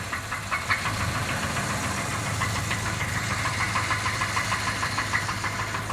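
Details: Jeep Grand Cherokee engine at steady idle with fast, uneven light tapping, about three knocks a second, over the engine note; knock from inside the engine.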